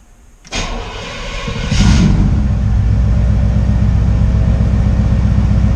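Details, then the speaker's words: 1968 GMC V8 first start after oil cooler install to fix high oil temps and low idle oil pressure: short crank, catches in about two seconds, settles to steady even idle, no knocks or ticking; good pressure, no leaks so far; healthy. "okay well it's definitely get good pressure leaks okay so far so good just let it idle for a little bit"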